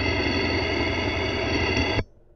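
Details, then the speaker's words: Toyota Camry engine heard through a mechanic's stethoscope touched on the belt tensioner pulley: dense, gritty whirring with steady ringing tones, a rough, bad tensioner bearing; the alternator by comparison sounds smooth and quiet. "that sounding rough that is bad"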